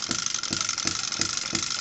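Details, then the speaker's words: Microcosm Hit & Miss M96 model engine on first run from the box, SP98 petrol with a few drops of 2-stroke oil, running warm: sharp firing beats about every third of a second with bright clatter between; runs gently and evenly, normal hit-and-miss. "ns je rallume et c'est un vrai hit and vous l'entendez vraiment il fonctionne gentiment il fait pas trop de bruit"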